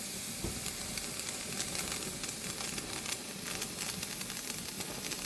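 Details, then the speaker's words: Pressure canner venting while canning fresh green beans: steady hiss with crackling sizzle, no whistle, steam visibly escaping the vent hole before the canner seals and pressurizes. Normal venting. "You'll stop hearing the steam and stop seeing the steam. You see steam's coming out of that hole."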